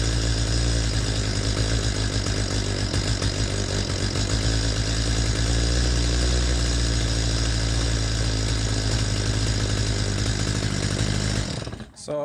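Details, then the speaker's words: Stihl MS250 chainsaw during carburetor mixture-screw adjustment: it screams at a high steady rev, then the note peaks, wavers and sags into a stutter as the mixture goes too lean, then cuts off. Lean stutter; fixed by backing to peak plus about a half to three-quarter turn. "just shut it off real quick you could hear how that saw reached a point where it was revving at a peak and then it started to fall off the edge and in stutter"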